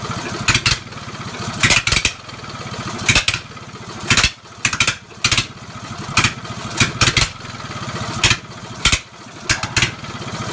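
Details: Mower revived after 10+ years with a new starter, governor linkage disconnected: engine runs in uneven bursts with sharp irregular popping and stumbling between surges, sounded like misfiring but owner found it was running rich from a choke left closed.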